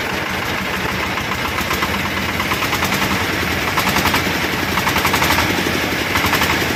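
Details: Newly fitted replacement diesel (Shifeng 'Black King Kong', China IV emissions) after the seized old engine was scrapped; steady clatter at an even idle, about three or four pulses a second, no knocks or grinding: new engine runs clean.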